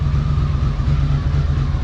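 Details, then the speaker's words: 1982 Honda CX500 Turbo twin after 25 years dormant, new fuel pump and cleaned injectors; steady low thrum with faint even turbo whine, no misses or knocks; normal running. "It's cooking. Yes! We got a running turbo, folks."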